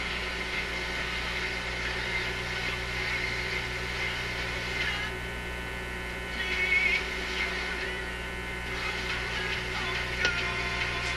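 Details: Zenith Y825 vacuum tube AM/FM radio after sitting six months on a shelf, volume down: loud steady low hum under the set, unchanging; excessive mains hum and buzz, cause not yet found.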